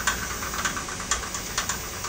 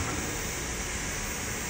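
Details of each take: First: Workbee CNC lead screw axis without thrust-bearing tension: irregular sharp rattling clicks over a hissing run as the screw whips; fix adds thrust bearing, extra collar, spacers and 55 mm bolts. Tensioned side showed no whip at about 800 rpm. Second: Workbee CNC axis running at about 800 rpm after the lead-screw whip fix (added thrust bearing, collar and spacers to tension the axis): smooth, even whir with no rhythmic whipping or chatter, a properly tensioned lead screw.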